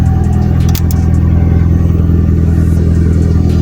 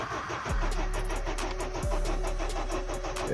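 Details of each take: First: Honda Civic 8th gen, running after the no-start was traced to a ground, not the computer. A deep, smooth note holds steady without misses, rattles or knocks while it warms. A little smoky and smelly, but it drives. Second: Honda Civic 8th gen no-start on a freezing morning; the owner suspects a broken key not making contact. The starter spins steadily with a couple of brief catches but never fires and runs.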